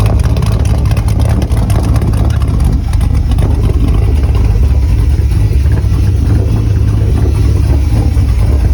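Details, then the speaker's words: 1976 Volvo 242 with a swapped Chevy small-block LS 5.3 liter aluminum V8: deep, loud rumble with steady lows and revving blips, smooth even firing. Healthy V8 exhaust note. "Very unassuming, but listen to that exhaust."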